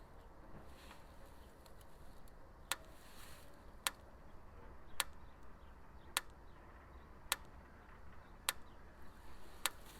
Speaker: all right I can hear it grounding on something over there so now we go figure out what it's going to do I can hear it popping right down here yep okay that's what's grounding out right there I'm gonna fix that